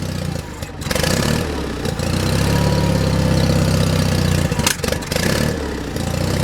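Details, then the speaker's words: John Deere 316 lawn tractor engine in about 36°F cold, choked by hand: beat wavers and dips instead of holding steady, a rough idle; owner suspects a clogged idle circuit jet or cold weather and plans to open the carburetor top. "I'm just choking it with my hand that's all or maybe it's real cold d yeah I think I'm going to have to take top off that carburetor"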